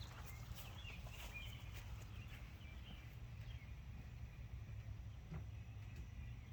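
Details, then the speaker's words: 2006 Zhejiang Kangdi 250cc kart single-cylinder with big-bore cylinder, first run after rebuild, exhaust just fitted, shut off soon for cooling: low steady thump at idle, birds in background; normal idle. "oh yeah she's a runner"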